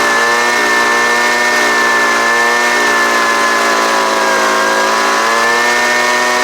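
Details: Homelite UT09250 two-stroke after carburetor work: steady high-pitched buzz, even with only a brief sag, running clean and healthy.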